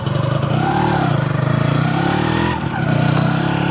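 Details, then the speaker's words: Motorcycle with new engine block, warming up after rebuild: revs rise and fall smoothly with throttle, no knocking or rattle; sounds like new out of the shop. "Oh, dia punya ting guys. Macam motor baru keluar kedai."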